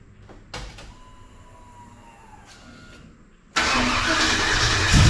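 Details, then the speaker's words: Big-block V8 with long-tube headers, warming after a coolant-leak fix (cheap head studs were leaking): starter whirs, then a loud, rough run with a clattery top-end tick. Owner first suspected a loose spark plug, now suspects a tapping lifter or misadjusted rocker. "What's that noise? Sounds like it's got a spark plug or something loose, but I tightened them all down."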